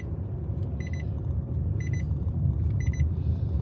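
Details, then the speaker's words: Vehicle driving on a bumpy dirt road: clear high beeps in short bursts about once a second over rough road rumble, the parking brake warning sounding because the brake was left on. "What is that sound? What is beeping? Oh, brake."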